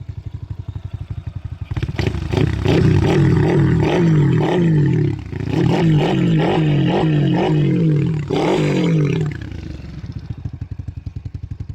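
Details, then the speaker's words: RS 125 carburetor-type motorcycle, single-cylinder, revving and settling in even pulses after repair of a noisy primary clutch whose inner one-way bearing was the noise source; no clatter or whirring from the clutch side, sounds healthy. "naguwi na tayo guys so hindi naman sa umingay lumabas harang araw Yan hindi naman siya umingay"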